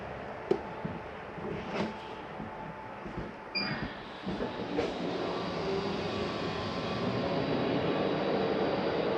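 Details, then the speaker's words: 2022 Palomino Columbus C-Series 299RLC RV Max Air Vent roof fan switched on: short motor whir as the lid opens, then a smooth, even airflow hum builds and holds; normal vent fan operation. "I'm just going to touch on head is going to open and turn on your max air vent"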